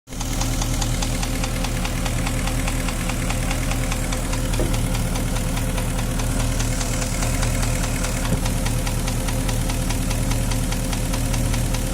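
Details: Porsche Cayenne 4.5 V8 (M48.00) idling steadily with a rapid, hard knocking tap through the deep rumble: engine knock.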